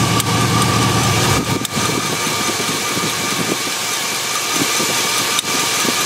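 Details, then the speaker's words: LS-based V8 truck idling hot with a spark plug wire deliberately pulled, rear driver's-side wire prone to falling off; uneven, stumbling idle from one dead cylinder, clearly misfiring, yet the check engine light doesn't come on. "right so we're having an issue the check engine lights not turning on for some reason you can clearly hear it's misfiring"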